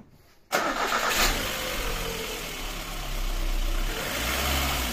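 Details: VAZ 2110 petrol engine starting cleanly and idling steadily with a light rev; it runs smoothly with no body knocking.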